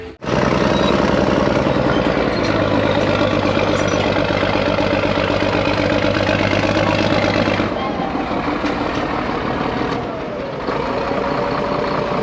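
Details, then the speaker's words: Dump truck diesel backing up, heavy lugging with an uneven, stumbling exhaust beat; a steady dead miss from one cylinder, with cylinders lacking proper compression and intense black smoke. "And you could hear the dead miss in the engine. Two things with that. One, you could hear it, and two, the amount of smoke, black smoke coming out of there was pretty intense."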